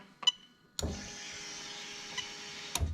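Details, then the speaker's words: 1998-2000 Lexus LS400 1UZ-FE VVT-i standalone engine harness; fuel pump run via its relay from an OBD2 tool through the ECU: steady, fairly loud high buzzing whine for about two seconds that cuts off cleanly; normal fuel pump operation. "and it's pretty loud so i'm so again you can see i'm completely controlling the fuel pump from the obd2 machine so you can see straight away that it's actually being controlled by the ecu"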